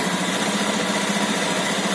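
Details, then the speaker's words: Used Honda Beat automatic scooter idling after start: even, steady buzzing idle settling from high to stationary, no knocks, rattles or foreign noises; normal, healthy engine. "cek suaranya normal tidak ada suara yang asing"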